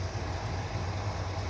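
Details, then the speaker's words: Corvette V8, idle lowered from 1000 to about 900 rpm after timing change: low, lumpy idle with sagging pulses, sounds about to die; idle speed set too low. "And she sounds like she's about to die. You know what? That's about 900."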